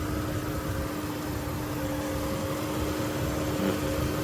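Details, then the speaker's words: 2004 Jeep TJ after radiator burst, with brand-new radiator, warm after a short test drive with A/C on, temperature below 210: steady, even idle hum with fan-like tone, no ticking, knocking or hissing, no leaks; normal idle. "Sounds good, looks good. Well, so far so good."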